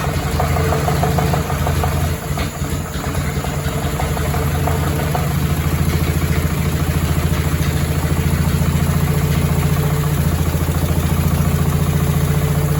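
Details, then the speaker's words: Willys flathead Jeep engine rebuilt from used parts, first start after new valve and valve adjustment: idle with steady low rhythmic bottom-end rattle under exhaust beat, metal found; spun crankshaft bearings. "we kill it something in the bottom end is rattling y you may have heard we heard a little bit of a bottom end noise"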